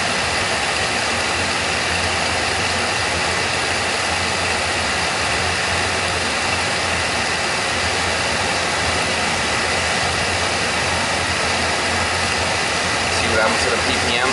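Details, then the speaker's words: Oil burner firing after the technician tuned it and pulled the air band back a little; steady, even roar with no pulsing, puffing or rumble. Reading noted as 500, and it "sounds pretty good." This is normal, clean oil burner operation. "BPM way up 500 here. We sound pretty good."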